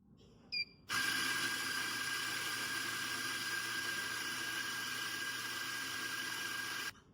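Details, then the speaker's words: Espresso machine grinder running empty after the hopper partition was closed and the middle continuous-grind button held until all beans were ground out: a steady high hiss and whir with a thin constant whistle and no bean crunching, a normal idle motor. "Continue grinding until you hear the motor running idle."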